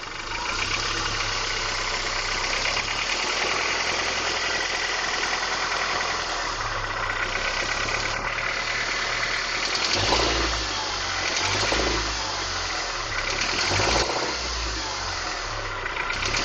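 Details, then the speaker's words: 1994 Honda Accord VTEC, 135k miles: the petrol engine idles with a loose, uneven knocking of about three or four knocks a second; the cause is unknown. "This is my 1994 Honda Accord VTEC. I'm going to find out what this knocking noise is."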